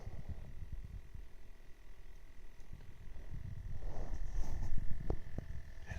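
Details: BMW E39 centre console: low, uneven croaking rattle at about four pulses a second over a faint steady high tone; source unidentified.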